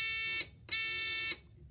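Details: littleBits buzzer circuit (pink button bit, magnetically connected), reassembled into a complete circuit: two clean, steady high-pitched buzzes with a short gap and no crackle or dropout; working normally.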